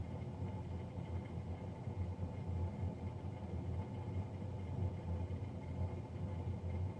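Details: Navien NCB-240 boiler, serviced Jan 31 2020 and recorded Feb 3 2020: steady, even low drone with a rough rumble underneath and no change, the combustion fan running noticeably loud.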